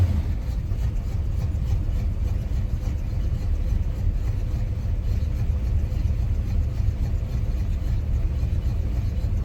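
Cold idle with an uneven, lumpy low rumble that wavers rather than settling; rough idle, cause not evident.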